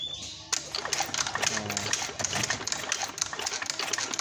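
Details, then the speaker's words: Suzuki Skywave 125 engine being reassembled, cranked over after an engine oil check to see oil come out; quick, light clicking and whirring as it turns over evenly with no knocking or grinding: normal cranking. "Normal or not, let's crank it. OK, let's crank."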